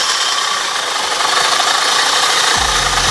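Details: Mikasa 75H jumping-jack tamper with two-stroke engine, after a no-start fix and a WD-40 flush of the engine bottom, fires up and settles into a busy, buzzy steady run; running properly.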